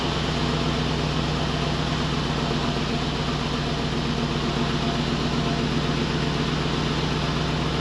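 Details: 2005 Dodge Ram 1500 4x4 Hemi swap with new glasspack replacing the blown muffler, recorded from under the truck near the tailpipe; deep, steady V8 burble at idle, even low rumble, no rattles or leaks, healthy exhaust.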